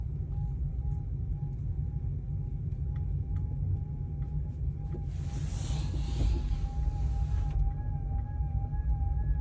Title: Volkswagen e-Up intermittent whistling or whirring noise from the rear of the cabin